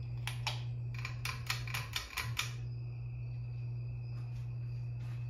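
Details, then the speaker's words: 52-inch Harbor Breeze Lakeside II ceiling fan with a cracked, partly melted capacitor, running only on low at every speed setting: a few switch clicks, then a loud steady low hum as the motor crawls; failed capacitor. "it has a bad capacitor it's it's very bad it has couple of cracks in it and it got melted it got melted a little bit yeah and it makes a humming noise makes a the humming noise is a little bit loud"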